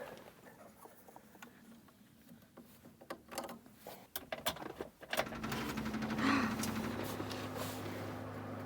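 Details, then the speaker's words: 1988 Daihatsu Hijet mini truck, stored 2 years, key on with a booster on the small battery: quiet ticking, then a steady low electric hum of the fuel pump priming. The owner suspects a fuel issue, possibly crud in the tank, with the gauge reading a quarter tank. "that's the fuel pump"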